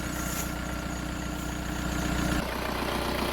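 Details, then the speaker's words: Alternator/AC accessory belt on a car at 323,509 km, belt replaced 37,000 km earlier and squealing; after refitting, a smooth steady idle with low engine hum and no chirp or squeal. "я одів пасок працює наразі чудово ніяких інших сторонніх звуків нема"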